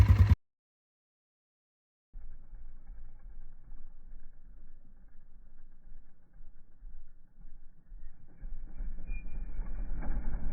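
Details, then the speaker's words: 2024 Kawasaki KLX140RL small single after its first oil change: it fires up after a short pause and settles into a low, even putter with no knocks or rattles; idling normally. "Alrighty, she sounds good."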